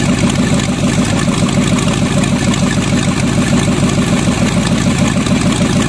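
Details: Freshly bought used Chevy 350 small-block V8 on an engine stand, running much better after number three plug work: steady, even, firm lumpy idle, no misses or knocks, all eight firing; smokes a little.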